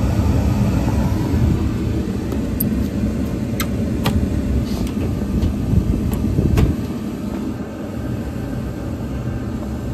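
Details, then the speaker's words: York rooftop unit after the draft inducer and ignition control board were replaced: inducer running, steady flame, then burners fire with a steady low roar and a few light clicks; normal burner operation. "our gas is on so we have a steady flash here which is good we should have a spark here in a couple minutes this yeah we'll we'll get another zip tie and try to straighten some of this wiring up we did fire so that's good"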